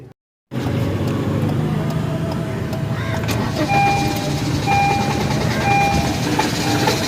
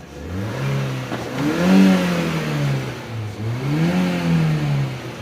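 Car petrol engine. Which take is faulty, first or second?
first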